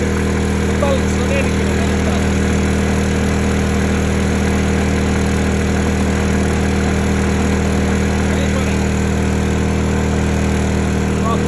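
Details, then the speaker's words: Honda EU2000i (EU20i) generator back at idle after 500–1500 W load tests, following a stale-fuel rough-idle fix; smooth, even hum with a steady low drone, no surging or hunting. Normal idle. "That's idle. So, it's just one of extra test."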